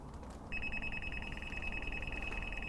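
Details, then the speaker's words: Bosch GLL3-300 360° three-plane line laser receiver: after pressing its top button it emits a shrill, rapid steady-pitch beep as it detects the laser line on the wall. "so you just press the receiver button right there on top and then you can hear it beeping"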